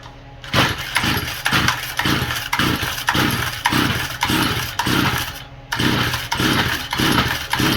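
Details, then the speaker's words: Stihl FS45 trimmer with faulty carburetor that won't prime: repeated pull-cord rips about two a second with no pop or catch, dead no-start. "Yeah, I can't even get it to prime up. No start. Priming again. I can't get the bowl to go up."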